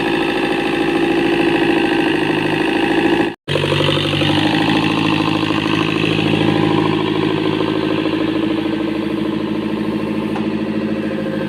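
Diesel idle with an uneven, lumpy beat after a brief cut-out, missing and shaking like a cylinder is low on compression.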